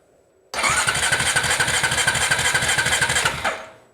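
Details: Honda TRX350TE Rancher ATV, starter pressed during voltage probing: steady cranking about three turns a second for three seconds, never catches; no spark. Crank, no start.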